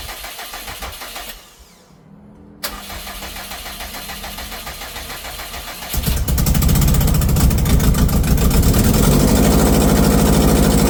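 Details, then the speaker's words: 2012 Subaru STI hatch, rebuilt engine, first start after sitting 9 years: starter churns, then loud raspy lawn-mower/weed-eater-like idle with exhaust blowing out the open, unplugged O2 sensor port; exhaust leak. "What the O2 sensor? Oh, that's right. Sounds like a [ __ ] weed eater. That's right. I forgot about I'm like there's a huge gaping warrior."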